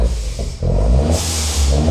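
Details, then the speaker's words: Peugeot 208 GTI left three years under a tree, warm at about 90°C: a deep rev, then a sharp airy whoosh the moment the throttle closes. This is the electric dump valve releasing normally, not a leak. "C'est quoi ce bruit de fou? Ah, putain! Mais c'est normal, c'est pas une fuite. C'est une dumb valve électrique, c'est un truc."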